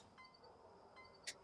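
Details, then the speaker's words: 1992 Cadillac Allante submerged in a hurricane, electrical check: lights, brights and turn signal working; quiet cabin with soft bell-like chimes about every 0.8 seconds; normal turn signal chime. "brights you got brights signal yep and even the chime's working for the"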